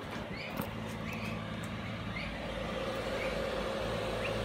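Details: Cheap eBay 12V 5kW diesel air heater on a bench test, in shutdown after running, casing warm: quiet, steady fan whir with a thin whistle and no burner roar; normal shutdown fan purge.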